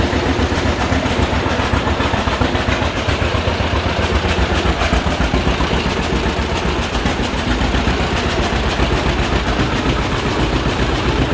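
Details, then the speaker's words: 1951 John Deere Model A tractor, first run after about 30 years sitting, no coolant, oil pressure showing: slow, even two-cylinder putt of about 220 beats a minute holding steady at low idle on initial settings, no knocks; healthy idle. "it says we have oil pressure look at that low idle just on initial settings"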